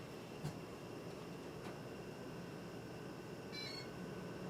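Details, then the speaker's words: 38" Homestead Geneva Homestar ceiling fan with Intellitouch-style electronic control, on a fast speed: even low airflow hum with short electronic chirp from the control; fan spinning steadily fast. "Even faster. We're at 1 amp."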